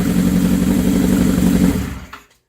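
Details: 1979 Suzuki GS750, first start after over a year idle, following teardown, repaint and rebuilt carburetors: strong, steady high rev from an open pipe that cuts off cleanly; pulls crisply and sounds healthy.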